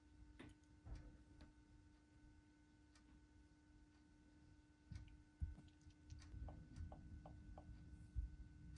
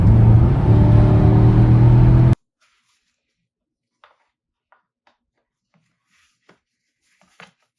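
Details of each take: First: Porsche idling with cylinder 3 misfire (P0303): faint whine with uneven low rumble stumbling every so often. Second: Porsche engine that was chasing a cylinder 3 misfire (P0303), diagnosed by swapping components: a steady, even engine note with no stumble or skipped beats for two seconds, then silence; running smoothly.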